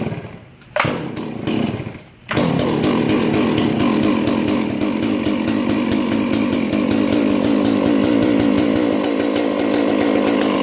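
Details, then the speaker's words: Stihl 461 chainsaw after a log rolled onto it and crushed it: after a couple of pulls, possibly slightly flooded, it catches and holds a strong, even high-rev two-stroke buzz with no misses. Runs fine despite the damage. "$1,100 solve from steel did it got dropped a tree dropped on it yesterday or rode on it it cranks and runs steel"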